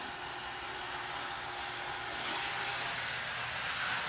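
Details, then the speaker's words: Western Pacific 921 Athearn model locomotive, likely second generation with brass flywheels, under 300 mA at full power: good start-up, steady even motor whir and gear hum; runs healthy and quick. "Next we got a Western Pacific 921. Don't see a light in this fella. Good start up. Sounds great."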